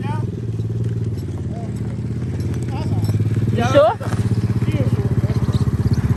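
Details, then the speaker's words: 110cc four-wheeler ATV after service with new carburetor, spark plug and wheel alignment: small single-cylinder thumps along with a steady, even firing beat and picks up cleanly with throttle; sounds healthy. "oh yeah that thing sounds good another satisfied customer"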